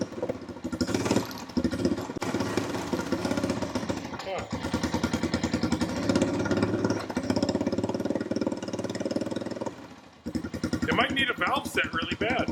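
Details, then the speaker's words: Honda TRX350 ATV after carburetor cleaning, fuel turned back on: uneven single-cylinder putter that surges, dips and nearly dies around ten seconds before catching; rough running, owner suspects valves need setting, cause unclear. "Okay, that should in theory just work. We'll turn the fuel back on here. I didn't touch anything, so everything should just be mint. Of course not."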